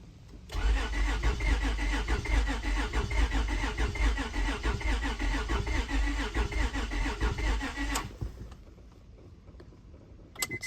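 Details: 2003 Honda Odyssey, after timing belt and tensioner replacement: starter cranks steadily about seven seconds but engine never fires, no spark; scanner shows crankshaft position sensor good (RPM read), immobilizer not recognizing key suspected per service bulletin.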